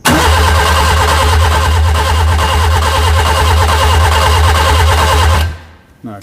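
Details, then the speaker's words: Classic Mini with a Nissan engine swap, ECU powered, fuel pump not connected: steady starter cranking about four turns a second that never catches, then stops; no spark found: crank no start. "no spark no spark we missing something"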